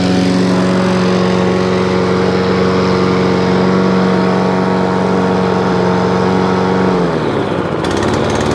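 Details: Free scrap lawn mower, after fitting a new spark plug: small single-cylinder engine holds a slightly uneven note, then sags and stumbles near the end, running rich. Owner suspects carb assembly jumped onto choke or carburettor linkage not opening and closing properly; unconfirmed.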